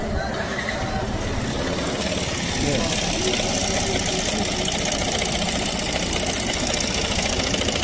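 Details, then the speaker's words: Yamaha NMAX scooter idling with the CVT opened and clutch removed, first thought to be a belt or roller noise. A rapid, steady light knock remains inside the engine: connecting rod knock, so the engine must be disassembled. "Tá sem sem embreagem. Achei que os barulhos era no rolete. Barulhinho de biela, filho. Então, já sabemos, tem que desmontar o motor."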